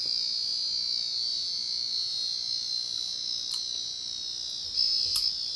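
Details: 1990 Casablanca Panama 50-inch ceiling fan, Inteli-Touch board: constant high-pitched buzz from the moment power is applied until switched off, from a faulty sound driver (suspected capacitor or transistor); board needs replacing; control board buzzing.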